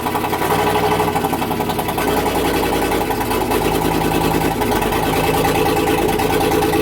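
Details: 2005 Silverado 2500HD 6.0L V8 just after new spark plugs, previously throwing multiple misfire, knock and sensor codes; fairly steady idle without stumble, check engine light not blinking; misfire seems cleared, not certain.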